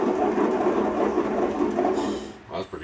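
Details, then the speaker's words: Craftsman LT1000 lawn tractor mower deck, belt removed, spindle spun by hand: about two seconds of dry gravelly growl coasting down, notchy; worn deck spindle bearing needing replacement, while another spindle was silent. "that needs bearings that one's okay this was absolutely silent silent okay bearings here this one's good needs a new belt"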